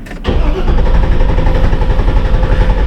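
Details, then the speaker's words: 2006 Chevy Silverado 2500HD 6.0 snowplow truck, 43,270 miles: starter turns the engine over in a slow, steady chug without firing for a long time; extended crank traced to camshaft position sensor air gap. "do a lot of cranking and then it starts sometimes it will crank twice as long as that or to the point where you're like something ain't right"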